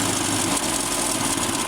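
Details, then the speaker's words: Land Rover Series 2 four-cylinder, sat for years in a paddock, on first start-up: even, steady idle with no smoke, misses, knocks or rattles, purring smoothly; carburettor still likely needs a kit; normal idle. "That's it, purring away there. Very smooth, no bad noises. Sounds like a Land Rover."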